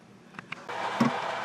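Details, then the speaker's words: Drummond 1 HP shallow well pump after repair of pressure loss and constant on-off cycling: a couple of light clicks, then the motor kicks in with a steady, even hum, no rattle or cycling; normal start. "Okay, just kicked on. You hear it? Excellent."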